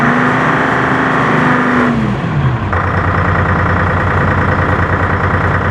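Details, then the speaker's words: M561 Gama Goat diesel on first start after fuel pump rebuild, after an earlier loss of power; a falling whine gives way to a steady low rumble and even idle, engine runs fine. "so we'll go ahead and start it up and make sure it means good to go so pretty good"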